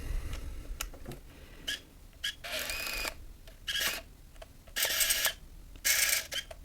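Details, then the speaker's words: Nikon F801 (N8008) 1988 35mm film camera loading used, slightly wrongly curled film. Short bursts of high motor whir with quiet gaps as the film catches and advances to frame 2. Normal motorized film advance. "И делаем да, все зацепилось и сработало. Вот видите, мы сделали первый кадр, уже второй кадр на счетчике."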